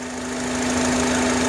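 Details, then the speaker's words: 2005 Honda Accord EX 4-cylinder idling, engine bay: a steady whistle-like hum that drops with the intake hose removed but lingers around the throttle body. IAC and PCV valves already replaced. Owner suspects vacuum (unconfirmed). "If you remove the hose, the sound gets low, but it still sounds from around the throttle body. And if you stand right here, you can hear it louder. It's like a whistle."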